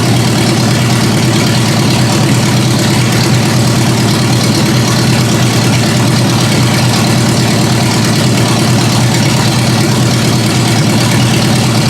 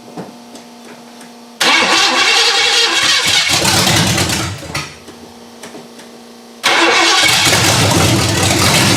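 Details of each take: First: Engine at steady, even idle on its own after raising idle speed and backing out the mixture screws; constant low drone with no misses, stumbles or hunting, before checking transmission fluid and a test drive. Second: Ford Granada V8 after sitting, open headers, first start after repairs: it fires, sags and quits after a few seconds, then catches again, failing to hold steady idle on its own.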